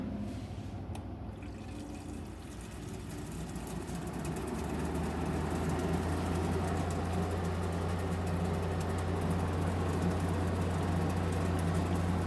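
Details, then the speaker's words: GE 5,050 BTU window air conditioner on low fan: a steady low hum with fast, even watery slapping as the fan slings condensate water; annoying but normal operation. "Yeah, that sound is the water splashing. Yeah, it is kind of annoying, but you get used to it after a while."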